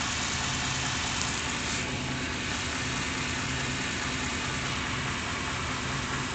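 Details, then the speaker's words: 1993 Chevy van 350 V8 in park/neutral slightly above idle, with rebuilt transmission and new torque converter: uneven, loose thumping about two beats a second with shaky drone; engine knock with vibration, owner suspects balance or torque converter issue. "Seems to be like a knocking noise in the engine. It's causing vibration."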